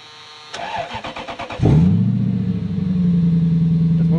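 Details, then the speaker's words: Lexus LS430 V8 (3UZ) test car fitted with an immobilizer-removed ECU: quick even cranking, then fires at once and settles into a smooth steady idle, healthy start. "it's a runner foreign"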